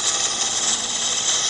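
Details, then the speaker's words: Wood lathe hollowing cut with Carter hollowing tool bar system: harsh steady high-pitched hiss and rasp turning buzzier with more vibration noise as the thinning, unsupported wall is cut further; tool chatter. "and the farther I go here the more vibration noise you'll hear because I'm"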